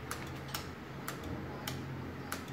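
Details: Honda PCX125 scooter that won't start: crisp relay clicks roughly every half second with no cranking; relay engages but starter never turns. Poor contact found in the connector plug; replacing the plastic housing alone doesn't fix it, the pins must be replaced.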